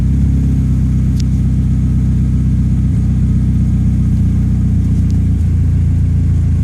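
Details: Toyota ST205 engine: deep steady rumble with occasional dropouts and stumbles breaking the rhythm; misfire, cause not pinned down.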